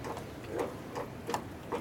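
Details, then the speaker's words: 1953 Harley-Davidson 74ci panhead during tune-up: light sharp clicks about three a second as the spark advance linkage hits both end stops; distributor needs to turn further and pin moved for more travel. "It's going all against the stop right here. It's hitting that stop too. Hear it? It's hitting both stops now."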